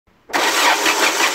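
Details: 1998 Peugeot 306 1.8 16v 110 hp with sequential LPG, stopped starting after running out of fuel, fuel pump working: starter whirs steadily with repeating hissy cranking rhythm, engine never catches; crank no start.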